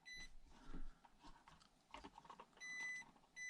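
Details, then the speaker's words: Micro crawler (1/24–1/18 scale) stock brushed ESC on AAA batteries, run at high speed: a thin, steady high-pitched whine cutting in and out over soft motor noise. The ESC is noisy, though its low-speed modulation is very good. "and it's on high speed of course now and it also emits annoying noise as you can hear now but the low speed modulation is really superior to all others in my opinion"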